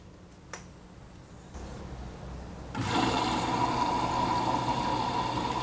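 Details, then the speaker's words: Midea HealthGuard Smart 13kg (MF200) washer on Cama e Banho cycle, white cotton load, glass around 51–52°C: quiet hum, then sudden steady rush of water adding for the main wash, display at 1h16; normal fill. "tá adicionando água agora para fazer a lavagem principal tá o display tá marcando 1 hora e [Música] 16"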